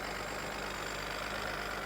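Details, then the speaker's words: Auction car with a newer battery and newer vacuum lines, under the hood at idle: steady idle with a loud, busy clatter and hiss, no clear rhythm; runs better than before but still noisy. "so it is running a little bit better we have a newer battery some newer vacuum lines a little bit noisy up"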